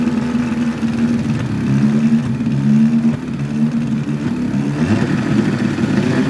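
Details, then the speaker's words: 1952 Scott Atwater-built Firestone 10hp two-stroke outboard, converted from gravity feed to fuel pump, on cold day, new impeller and plug wires, pumping water well: buzzy running with brief stumbles, lean sneeze; owner suspects top crank seal, original diaphragm. "pumping water real good got a lean Snee this might be the top crank SE"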